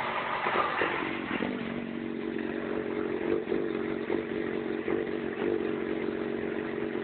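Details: Yamaha FZ6: engine idles with an uneven, hunting beat and irregular stumbles; problems idling and moving at low engine speed below 3000 rpm, cause unknown. Rough idle.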